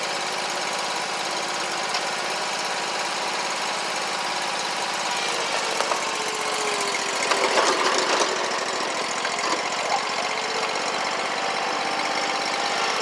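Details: Scag Tiger Cat II zero-turn, Kawasaki FX691V twin, repaired (bent push rods, broken cylinder-2 rocker holder, stuck choke, clogged fuel filter), driving around: steady even engine drone, no misfire or popping, both cylinders pulling evenly, some background noise; normal running.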